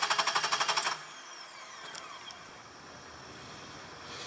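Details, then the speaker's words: 2002 Nissan Quest 3.3L with an intermittent misfire, cylinder 4 misfire and knock sensor codes. At key-on, about nine sharp snaps as spark jumps from the side of the distributor ignition coil to ground; distributor replaced. "what you're going to see right here is you're going to see spark jumping out of the side of the coil to ground right there"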